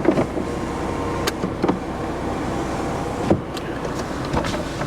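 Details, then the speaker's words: Salvage-auction car at idle with the AC on: the power window motor hums smoothly and steadily through its travel with no grinding, catching or slowing; the window works normally, though the rocker switch is dirty. "Does the import window work? I guarantee it does, man. There you go. The rocker switch is a little dirty, but there you go."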